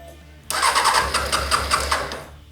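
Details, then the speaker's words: 2006 Honda CBR600 F4i bought non-running, fuel pump priming checked, spare ECU tried: about two seconds of fast cranking with weak attempts to catch; cranks but won't start, now trying to fire unlike before; runs on starting fluid, fuel delivery suspected. "the bike doesn't want to start. It sounds like it's trying to pump something into the bike and it's trying to fire, which is really nice. Before, it actually didn't sound like that."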